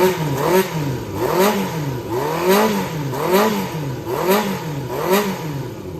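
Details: Yamaha XJR400 (4HM, early type) engine assembly, start check, compression measured, no abnormal noise or white smoke: quick repeated throttle blips about once a second, revs rising and falling cleanly with no knocks or rattles. Healthy engine.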